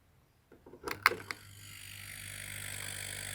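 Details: Homemade air compressor after reconnecting a loose wire: a few clicks as it switches on, then a low, steady, even hum as the motor runs smoothly.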